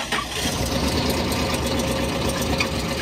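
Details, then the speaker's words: Truck whose engine quit on the road, owner believes blown: harsh, uneven, clattery idle with a loud mechanical roar and no smooth beat, suggesting serious internal engine damage; suspected, not confirmed. "Look at the truck. Doesn't sound good. Definitely blown, eh?"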